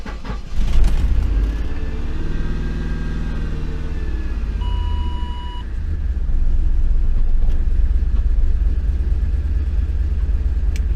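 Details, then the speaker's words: 2008 Ford Expedition after clearing codes, no codes returned yet: uneven low rumble with an irregular beat and an unidentified noise, engine running rough and stumbling; owner suspects a timing issue, cause unconfirmed. "all right let's turn the engine on still running pretty pretty bad I don't know what that noise was"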